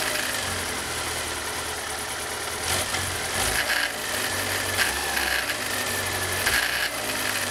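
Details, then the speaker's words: Kawasaki ZR-7S (Zephyr 750-type four-cylinder) idling: light busy clatter (katakata) from low on the engine; behind the generator cover, one of three alternator stator bolts had lost its head, a loose stator bolt. "どうもエンジンから変な音がします今回の動画ではエンジンからカタカタと音が出ているのを修理していき"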